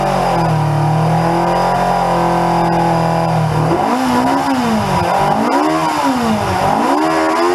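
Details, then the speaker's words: 1981 Yamaha XJ750 Seca inline-four, carburetors just reinstalled, first run in a long time: smooth, even four-cylinder note climbing and falling cleanly through repeated blips, no misses or knocks; healthy engine. "man i forgot how much i love that four-cylinder song"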